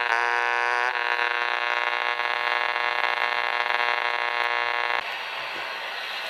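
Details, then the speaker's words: Household dimmer switch heard on a portable radio held nearby: harsh buzzing hiss with fixed tone that shifts as the dimmer is adjusted or switched, then drops off; RF interference from the dimmer. "so one of the more classic sources of RFI in the house is a dimmer switch you can see when I turn this [Applause] on eques quite a bit of noise which depending on how you adjust it it changes the sound of the noise sometimes turning on and off changes as"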